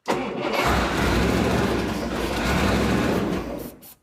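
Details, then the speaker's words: 1975 Chrysler Conqueror jet boat, 318 V8 with carburetor, brake-clean starting attempt: steady fast starter churn turns the V8 for several seconds but it never fires; no gas reaching the carburetor, fuel pump hookup checked correct. "H still nothing okay well we're going to have to figure that out all that's left is getting gas in the carburetor"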